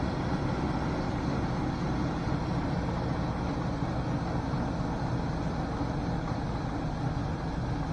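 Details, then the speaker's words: Junkyard LS V8, a swap candidate for an OBS Silverado, on a really cold start: steady, deep, even drone with no clatter, bottom-end or top-end noise and no lifter tick. A healthy cold idle. "but obviously this is a really cold start guys and you can hear there's no clatter no lowend noise no topend noise this doesn't even have a lifter tick or anything going on with is"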